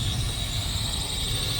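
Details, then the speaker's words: Holy Stone F181C camera drone, back right motor slow to start: high whistling whine wavering rapidly over a steady drone like a siren, motors revving up and down very fast as the flight controller fights the wind and itself, causing wobble. "What you're hearing, Abby, isn't a bird or something. You're hearing the motors revving up and down, up and down, up and down, up and down, up and down, really, really fast."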